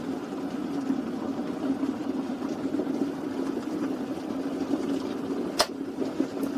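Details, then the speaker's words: Reinberg electric kettle after replacing its faulty power switch: steady bubbling rush of water at full boil, then a crisp click as it shuts off; normal boil with working auto shut-off. "hãy đợi ấm đun sôi chúng ta sẽ xem nó tắt như thế nào khi đạt đến điểm sôi ở đây ấm đun nước đã bắt đầu sôi hơi nước đầu tiên xuất hiện hoạt động sôi đã bắt"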